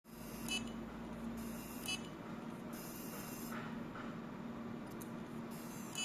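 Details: Seagate hard drive: short sharp ticks recur about every second over a faint steady hum, the heads clicking repeatedly; the cause is not clear.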